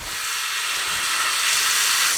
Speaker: You also might have air in the system, so air coming out from the faucet is normal.